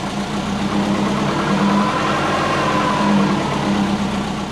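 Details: Big-turbo Subaru Forester with a lumpy low idle around 500–750 rpm that surges and sags as if about to stall. Idle control was set to ignition only, with base ignition timing set too low. This is a rough hunting idle before retuning.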